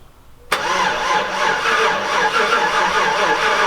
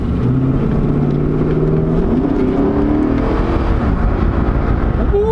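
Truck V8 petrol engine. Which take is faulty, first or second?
first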